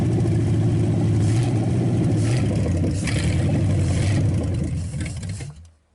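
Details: Packard 374 cu in V8, warmed up after oil burned off the hot exhaust manifold: pulls strong and even through the revs with a crisp beat, then winds down and stops quickly, suggesting little cylinder wear and good compression.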